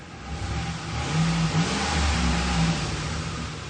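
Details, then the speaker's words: Ford Expedition at a shop, after fuel-pump diagnosis: engine pulls up smoothly and holds steady revs, even note, no stumbling or dying; running over 10 seconds without losing power, fuel pump working. "But this thing is running good. It's not losing power. Y'all seen it's been running more than 10 seconds."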